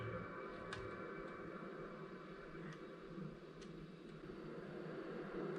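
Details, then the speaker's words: PlayStation 2 SCPH-7501 trying a DVD: faint irregular clicks every second or so over a quiet drive hum as it keeps seeking; DVD not read though CDs read, laser probably bad. "So, it is starting up. Let's see if the disc actually reads. So, it did not read."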